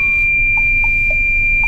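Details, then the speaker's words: Long-haul truck near Iwate: short mid-pitched beeps about four a second over a steady high tone, with the dash reading low coolant; the driver confirms the radiator water is low, despite checking it before departure. "冷却ご覧の通り冷却水不足っていう風にこれ表示されてるから見えるから冷却水不足って書いてあんですわだからこれ水が足りないんです"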